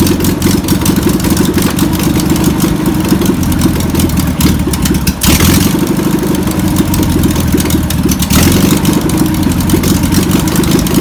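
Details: VW pressed-bumper-panel bus air-cooled flat-four, revived after sitting over 50 years, fuel pump suspected bad (rebuild kit on backorder): holds a steady, slightly lumpy idle after starting, with a couple of brief level changes; running normally.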